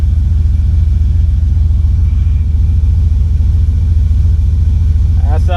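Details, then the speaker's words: 1985 Monte Carlo with a single-turbo 4.8 and 4L80E, hot, just after fixing an exhaust leak found under the header wrap: a deep, steady rumble with an even pulse and no ticks or puffing leaks, quieter than before. Normal idle. "Oh, that sounds a lot better. Like before, it was loud. Now it's toned down, but it sounds better."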